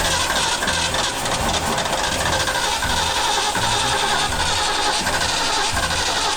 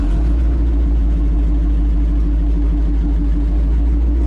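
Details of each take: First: Old Bronco running after being refuelled: a loud, steady V8 rumble with an even beat and no knocks or ticks, with no exhaust leak heard. A healthy engine running smoothly. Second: Old three-on-the-tree vehicle on first test drive: loud, coarse, steady low rumble with a blatty edge while driving; exhaust leaking from a couple of holes in the muffler, one big.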